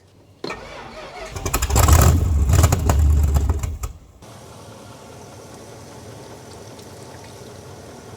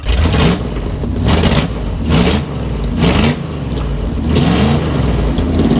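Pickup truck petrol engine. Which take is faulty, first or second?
first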